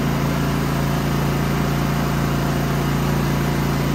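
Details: Genmax GM9000iED inverter generator after ignition module replacement and housing foam replaced: constant low hum, steady speed, no surging or misfire at this moment, though backfires later blow the plastic case open.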